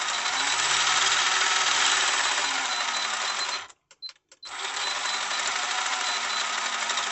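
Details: Tamiya DT02 Holiday Buggy, first test after swapping in a new ESC and a Speed Passion 7.5 brushless motor, no sensor cable: steady high-pitched whir cuts out briefly near four seconds, then spins up again evenly; motor and controller running normally.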